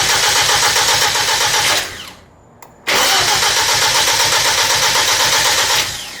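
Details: Freshly built Hyundai Genesis Coupe turbo engine just installed, first startup, fuel pump fuse pulled so no fuel, cranking to build oil pressure: fast, even starter chatter about four beats a second, no firing, pausing and resuming.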